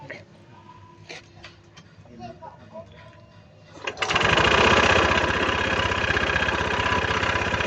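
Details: Honda Scoopy-i kick-start scooter after a drive-belt replacement: it fires and settles into a loud, fast, steady knock about four times a second. A broken connecting rod is suspected, and the owner admits the noise existed before the belt job.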